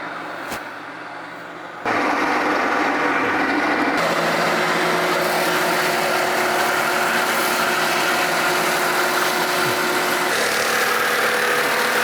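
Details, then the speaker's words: Sawmill cutting under load: loud steady mechanical drone with tone shifting mid-cut and rough edge; afterward gearbox found leaking oil heavily, idler wheel shaking, spring problem; gearbox failure suspected. "burning well the vibration wasn't nothing that gearbox is leaking leaking oil like crazy"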